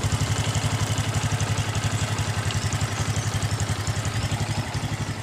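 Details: Honda Supra X 125 motorcycle after its regulator was replaced with a Smash regulator: even single-cylinder putter at idle, about four beats a second, steady with no misses or rattles, lights bright; normal idle.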